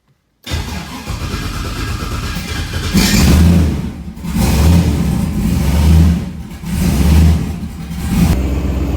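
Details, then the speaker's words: SBE LS-powered street car: revs swell and fall every couple of seconds without pulling harder, flaring like a CVT before engaging. Transmission slipping, suspected low transmission fluid or a bad transmission. "so [Music] if you can't hear it this thing definitely needs some training fluid still hear that or zach's got a bum one of the two it's like a cvt she's got a stand on her and then she engages"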